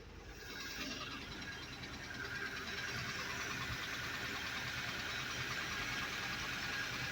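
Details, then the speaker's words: Truck with an owner-built engine, idling out of gear: quiet, steady idle with a soft, regular beat and some background hiss, no knocks or misses; "purring like a kitten", healthy. "Never in my life would I thought. Purring like a kitten."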